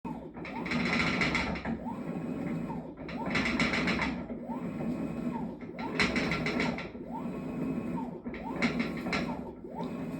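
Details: Maytag washer bought October 2023 that began clanking by December, unresolved after multiple repairs: heavy clanking bursts in a steady cycle about every two and a half seconds, each rising with the wash stroke; something loose inside.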